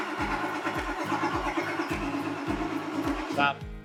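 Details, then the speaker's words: Ford F350 7.3 Powerstroke with a hard-start/long-crank fault, on a jump pack: starter churns at about two compressions a second, never catching. Starter relay heats with key on from unknown resistance; old ICP sensor found cracked. "so just like last week this starter relay is getting hot just with the key on and I don't know where that resistance is coming from but it's not starting"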